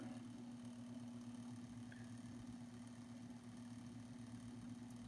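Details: Realistic SCT-32 stereo cassette deck at power-on with nothing moving: steady low hum with a buzzy overtone. The deck rewinds and fast-forwards but won't play; cause unknown.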